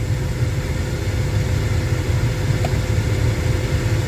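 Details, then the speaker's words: 2013 Ram truck with 765,000+ km, no cabin air filter, being checked for poor airflow from plugged AC evaporator, key on: blower stepped through speeds one to four, full blast on recirculation, even rush of air, no squeal or rattle; normal. "You can hear the fan, right? I'm assuming you can hear the fan. That's number one. Number two. Number three. Number four, full blast. And that's recirculation through the cabin."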